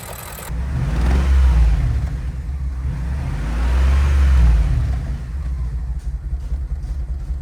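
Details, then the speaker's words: 2005 BMW X5 E53 with N62 4.4L V8 after replacing the broken cooling pipe and refilling coolant, no leaks: deep uneven rumble with a lumpy, irregular beat as revs rise and fall; engine still misfiring, cause not yet found. "Next step, filling up the coolant and check for any leaks. Luckily, no new leaks, but the engine is still misfiring."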